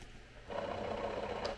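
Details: Finished RC submarine on radio bench test; small ballast pump gives an even mid-pitched buzz for about a second then stops cleanly; normal ballast pump running.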